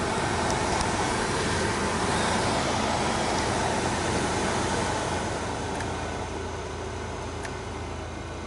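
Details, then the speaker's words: 2002 Opel Vectra C heater blower motor after removal and brush service, fan on first speed: steady, even whoosh, much quieter than the earlier growl; a faint residual sound likely from brushes not yet bedded to the commutator; normal running. "ну вот пожалуйста печка работает первое положение конечно потише стала"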